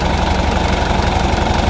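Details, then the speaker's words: Isuzu 4JJ2 diesel truck engine after a tune-up. Steady, even idle with a low smooth beat, no rattle or knock on top; the earlier rattle and misfire are gone, now quiet and healthy. "Tahimik na siya. Hindi na siya masyadong maingay. Wala kayong kalansing na maririnig yan."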